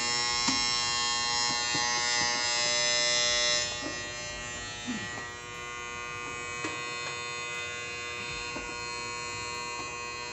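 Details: Outdoor A/C unit: a loud, steady electrical buzz that seemed like a failing contactor or capacitor, but was actually caused by an ant infestation packed into the contactor area.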